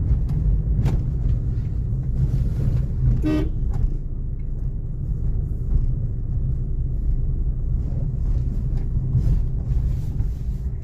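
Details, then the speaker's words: Maruti Ciaz on a test drive after an oil leak and clutch repair with new clutch plate, pressure plate and bearing: steady low road and engine hum, no clutch chatter, squeal or clunk, one horn toot; drivetrain quiet. "गाड़ी चल रही है, भाई; क्या आपको कोई आवाज सुनाई दे रही है? कार के अंदर बिल्कुल भी आवाज नहीं आती और इसकी पिकअप भी शानदार है।"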